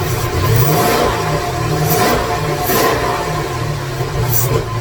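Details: 2017 Corvette Z06 with a Texas Speed 416ci stroker, Holley port injection and other upgrades, on its first crank with no tune loaded and no coolant. The lumpy, uneven V8 surges and stumbles, running rough from the missing tune.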